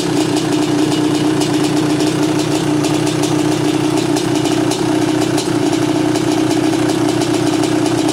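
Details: 1986 Honda CR500R two-stroke, mostly original, unrestored, low hours, described as tight and sound running: crisp buzzy note holds steady with light throttle blips, no misfires or rattles; normal idle and revving.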